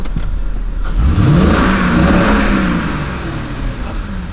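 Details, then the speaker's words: Mercedes CL 500 with LPG, after fixing a misfire from a broken ignition coil and an unplugged connector, and replacing spark plugs; engine revs cleanly, no stutter or shaking. Healthy revving. "also motor läuft jetzt einwandfrei also lag es echt ist achtet mal wie schön also kein zittern nichts"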